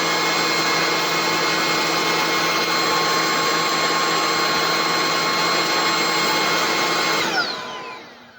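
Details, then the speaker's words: Bissell ICONPet Turbo cordless stick vacuum with a full battery charge: loud, steady high motor whine holding even pitch about seven seconds, then spinning down cleanly; owner says it's loud but works well; healthy running. "So it is loud, but it does a great job."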